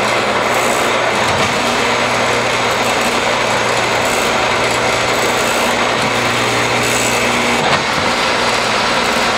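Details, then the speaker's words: Triumph Spitfire overdrive gearbox, oil-filled, run on a bench test stand through all four gears: steady even whir with brief dips at shifts, barely any noise even at higher rpm, no grinding; synchros fine. "what you saw was i shifted through all four gears you want to listen for any sort of grinding noises that's an indication that your synchro rings aren't working appropriately but even at higher rpms we made barely any any noise at all so it's shifting smoothly"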